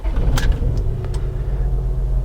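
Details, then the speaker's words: 2004 Honda Odyssey driven almost 70 miles with cylinder four misfiring, after bucking and rough idle: a low idle rumble that lumps and stumbles unevenly instead of running smooth. Engine misfire on cylinder four. "and the scary part is like I said it's almost 70 miles that this vehicle went with number four skipping like that"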